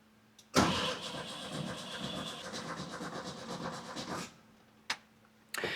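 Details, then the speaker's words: 1967 VW Beetle barn find, off the road 46 years: starter churns steadily about four seconds but never fires; oil pressure built but fuel likely not yet reaching the carburettor. "We built oil pressure there, but I don't think we have fuel yet."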